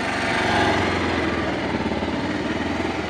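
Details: Bajaj Rouser/Pulsar 180 single-cylinder motorcycle after a DIY clutch lining (friction plate) replacement and oil refill: steady putt-putt idle at about four beats a second, no rattle or clatter; the repair appears successful.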